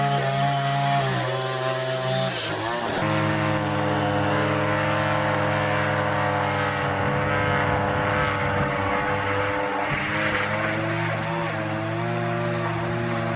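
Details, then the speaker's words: Line trimmer with Arnetoli F-ONE head cutting vertical edges: strong, steady high-rev two-stroke buzz, dipping briefly as line bites into the edge; runs clean and healthy, feels less vibrating than the previous head. "The head's feeling good though. Um, yeah. I I guess the best advertisement for it is that, yeah, just normal work. It feels feels good. I feel like it is less vibrating than than the other on"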